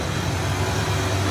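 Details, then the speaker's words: 1988 Ford F150 5.0L V8 after the ECT sensor was replaced, fixing long cranks. Deep, even rumble with no misses or stumbles. The check engine light is off and the idle is smoother, a normal idle. "Got it all installed, and man, runs way better. Fires right up. My check engine light went away. Idle's a lot smoother."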